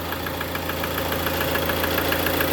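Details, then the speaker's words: 2013 Ford Transit 2.2 diesel idling: sharp even clicking knock about seven ticks a second, seeming to come from underneath near the starter; cause unknown, owner asking for help. "вот идёт такой щелчок и всё не понять откуда что и как может быть у кого-то была такая проблема Подскажите"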